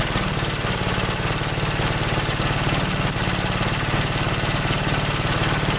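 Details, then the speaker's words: 1969 Gravely LI intermediate-speed tractor, single-cylinder, warm: steady idle chug of about three beats per second, uneven and lumpy beat to beat; runs badly once warmed up. Cause unconfirmed. "it seems like after I warms up I I just really running bad"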